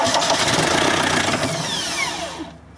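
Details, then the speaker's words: VW camper van with a swapped-in TDI diesel and newly installed harness catches and runs hard for about two seconds, then winds down and dies; the ECU's immobilizer has not been deleted. "I know full well what that means that means to basically to ECU hasn't already immobilizer has not been deleted from this ECU"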